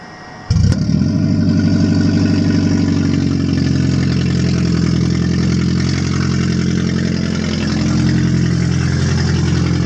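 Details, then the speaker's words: 2006 Toyota Prius after its catalytic converter was stolen, engine just fired up cold: loud, deep, raspy drone at a high warm-up idle, deafening and said to quieten as it warms; loud exhaust from missing catalytic converter. "and for some reason it's really loud when you first started ugly it's our PM's are kind of high"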